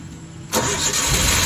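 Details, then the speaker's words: Suzuki K6A engine in a pickup, previously hard to start after parking, after the fix: starter barely turns before it catches first try and settles into a steady even run; starts cleanly. "start perfect walang lais anan walang lais So may start na sir"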